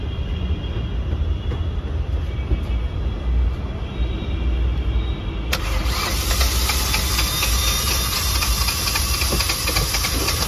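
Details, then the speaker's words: Hyundai Venue turbo petrol engine that lost power on a road test starts and settles into an uneven, lumpy misfiring idle; spark plugs on cylinders one and two were sparking very weakly. "एक number और दो number cylinder का spark plug बहुत ही धीमे से spark कर रहा था"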